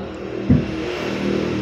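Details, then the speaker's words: Single-tub washing machine after fitting a universal control module to replace a failed button module, spin mode test with lid closed: single clunk then smooth, even motor hum as drum starts spinning; door lock working, spin start normal. "Sekarang kita tutup, dia langsung menyala lagi. Terlihat di situ. Bentar lagi dia akan berputar."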